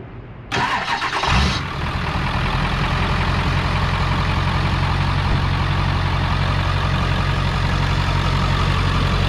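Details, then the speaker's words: Auction-bought work truck: starter whirr, engine catches, then loud, deep, raspy idle with steady throb, exhaust blowing through a big hole in the muffler. "big old hole in the muffler it's got a big hole in the muffler"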